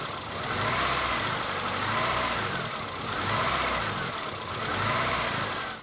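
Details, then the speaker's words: ZAZ Slavuta injector engine before repair, idle control valve already replaced without effect: revs swell and sag roughly every second and a half without settling; hunting idle from dirty throttle body. "Và bây giờ máy đang chạy không ổn định."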